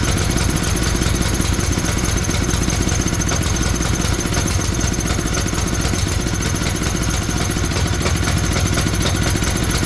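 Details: Tecumseh generator bought as non-running, running with the brown wire disconnected. Single-cylinder engine chugs at a constant fast, even beat with no surging or dying; running steadily.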